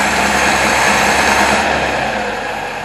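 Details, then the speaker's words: 1977 Toyota Celica after carb, timing and fuel pump relay work: idle about 1100 rpm with 17.5–18 inHg vacuum, uneven hissy chuff, no steady beat; rough idle, timing marks way off, harmonic balancer possibly slipped. "i'm gonna call this a fail uh it's not running that great at idle but you know good enough for me to get by on"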